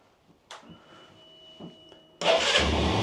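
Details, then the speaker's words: Benelli BN 125 single-cylinder motorcycle cold start after sitting unused for seven months, before an oil change: quiet until the starter catches, then it fires straight off the button and settles into a steady, even idle, a clean healthy start. "Oh yeah, straight off the button. This bike has been super reliable like that."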